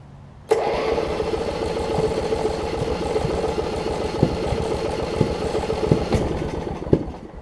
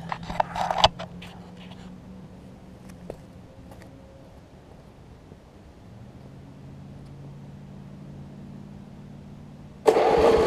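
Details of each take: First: 1981 Snapper RER rear-engine riding mower with water in fuel: catches and sputters unevenly with sharp pops about once a second; misfire from water on spark plug. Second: 1981 Snapper RER rear-engine mower after carburetor work: catches and runs steady and even, idling a little high; owner suspects a governor issue, otherwise runs and cuts fine.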